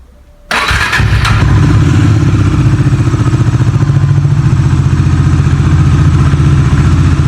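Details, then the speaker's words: Bajaj Dominar 400 motorcycle started indoors after sitting unused for about 10 days in winter: short crank, fires right up and settles into a steady, even, loud thumping idle without knocks or rattles; normal cold start. "sesi böyle bu da güzel bir sesi var"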